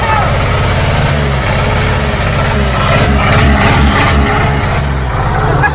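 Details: Old Caterpillar logging machine diesel after bleeding air from the fuel lines, idling on its own: steady low rumble with even firing pulses; runs smooth and healthy.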